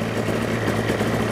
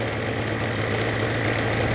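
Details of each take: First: Destiny powered parachute engine during annual/100-hour inspection, idling around 1600 rpm where about 2000 is wanted; low, uneven, lumpy idle under a steady drone; idle speed set too low, to be raised. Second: Destiny powered parachute engine during annual/100-hour inspection: steady, even idle with a smooth low drone and no gearbox chatter after the idle was raised from a rough, too-low setting; running healthy.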